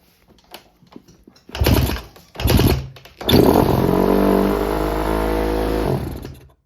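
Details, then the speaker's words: 2008 Honda CRF150R single, after fixing sheared Woodruff key that caused backfire and no start, not run in a month: a few kicks, then catches and runs at steady slightly high idle before shutoff; idle needs adjusting. "right she runs I've got to adjust the idle so for context I've probably said it already this hasn't ran in a month"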